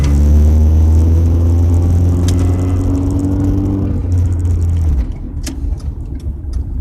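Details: Car driving at about 30 mph: deep, loud raspy droning rumble that drops off when the throttle lifts; exhaust leak caused by hitting debris on the road.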